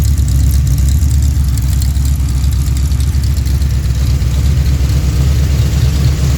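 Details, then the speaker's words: Freshly built Pontiac 428 V8, tri-power, competition valve job, bowl cleanup, mild GTO-style cam: deep steady rumble about 950 rpm, slight lope, no knocks or ticks; normal idle. "But that's the idle. It's not real radical. It's got just a nice sound to it."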